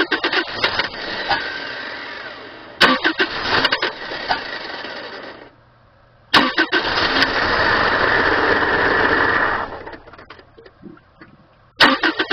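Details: 1997 Subaru Outback with blown head gasket, running very low on fuel; long bursts of cranking before it barely catches and runs ragged. Hard starting from low fuel, then it ran out of gas.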